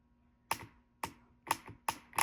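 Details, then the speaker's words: Audi A4/A5/Q5 (2009-17) hydraulic engine mount during mount replacement: six crisp clicks in about two seconds with nothing else running; the mount's internal stiffness valve switching normally. "And here I wanted to explain to you that there's like a little valve in there that makes it more hard and more soft. And you can hear it clicking."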